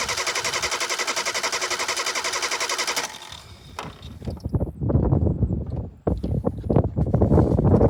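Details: 1988 Suzuki Samurai, lifted, being checked for fuel reaching the carburetor: a steady, even cranking beat for about three seconds, then it stops; no sign of catching.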